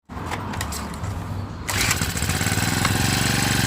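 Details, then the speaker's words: Honda GX35 brush cutter starting only on choke: catches and holds a fast, slightly uneven idle on choke, but dies when the choke is opened or when throttled up; lean mixture, runs only on choke. "แต่คราวเนี้ยเวลาผมเอาโช๊คลงนะครับเราเอาโช๊คลงนะครับสังเกตนะครับมันจะวอดดับเลยนะครับ"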